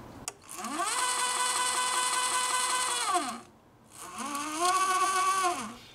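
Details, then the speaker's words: Omega Trac powerchair with transaxle and spider-gear steering, pulleys lubricated: steady motor whine rising, holding, falling over two runs; drive whine source unidentified. "tried lubricating all these pulleys and everything I'm not quite sure where that noise is coming from I will have to figure that out at some point"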